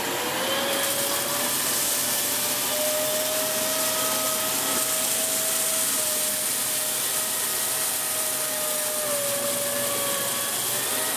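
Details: Dyson Big Ball Animal CY23 cylinder vacuum, about three months old: a thin, steady squeal rises above the rushing airflow and wavers for seconds as air leaks past a loose hose joint, which breaks its seal at certain angles.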